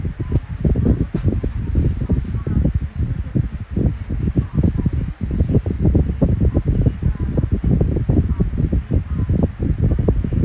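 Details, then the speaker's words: Kool-Flo SFC2-300B 12-inch three-blade high-velocity fan, with bearing oil still breaking in. Deep, steady rush of air with a soft fluttering pulse and no scraping; powerful and quiet, running normally. "Yep, I like it a lot. Very powerful and very quiet. It's not obnoxiously loud. It's just right."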